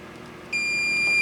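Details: 25-inch K7000 arcade monitor chassis blowing fuses: steady high continuity beep for nearly a second across voltage regulator pins 3 and 4 shows a dead short; the STR 3130 regulator is gone and needs replacing.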